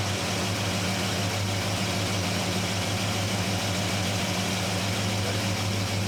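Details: 1972 Chevrolet C10 carbureted engine at first startup after installing a Carb Cheater with carb spacer, O2 sensor and vacuum hose: even airy hiss over a low idle. Owner suspects a serious vacuum leak; AFR reads 10, rich.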